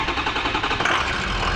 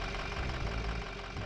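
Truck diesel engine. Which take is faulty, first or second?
second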